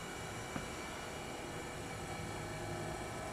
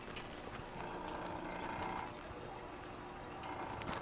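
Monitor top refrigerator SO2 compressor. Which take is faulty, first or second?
second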